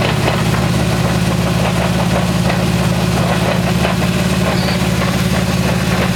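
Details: 1994 Supra twin-turbo 6-speed: a heavy, steady low drone with a faint pulsing throb that sounds like engine noise but is actually a worn rear wheel bearing.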